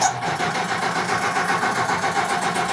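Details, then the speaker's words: Brad Keselowski's 2011 Penske Dodge Charger NASCAR stock car on a jumper battery: gauges sweep, then a steady starter whir with ignition off and no firing. The engine is cranked on MSD box A to build oil pressure before start-up. "You're gonna see all the gauges sweep, and then we're gonna cycle the engine so we can build oil pressure. So we don't use ignition yet."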